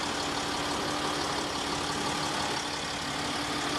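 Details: Land Rover Discovery 3/4 3.0 TDV6 diesel just after fuel filter change, self-bleeding with no leaks; steady, even idle with smooth hum, no misses or knocks, normal idle.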